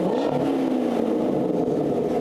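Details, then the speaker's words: Engine revved after new Flowmaster mufflers installed: deep, smooth, even exhaust drone with no rattles or misses, healthy exhaust note. "There you go, folks. You can see that really makes a nice sound on this thing."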